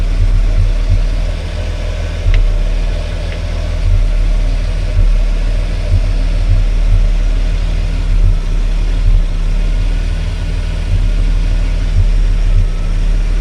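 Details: EA Falcon petrol engine idling unevenly with irregular low thumps and stumbles: occasional misfire, running very rich, cause unknown.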